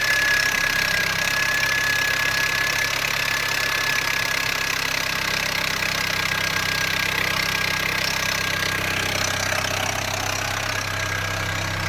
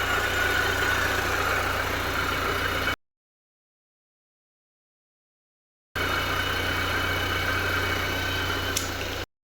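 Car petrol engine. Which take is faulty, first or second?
first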